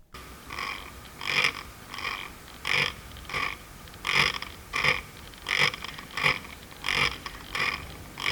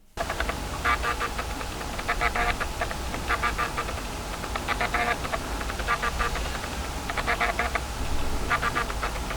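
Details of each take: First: Noisy Viltrox 33mm lens on a Sony camera, continuous autofocus: short buzzy whirs repeat about every 0.7 seconds, engine-like, as the camera constantly tells the lens to check focus; a normal, busy autofocus motor. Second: Fujifilm X-H2S camera driving its lens autofocus: bursts of fine buzzy clicking like an old hard drive, about 15 instructions per second, compared with roughly 500 Hz on a Sony. Coarse, stepped autofocus motor.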